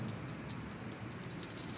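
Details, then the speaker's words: Refrigerator compressor that won't start: the removed PTC start relay, shaken by hand, gives a loose tinkling rattle like a small bell; relay broken inside and useless. "observen la prueba que yo lo voy a desconectar observen que suena como un cascabel"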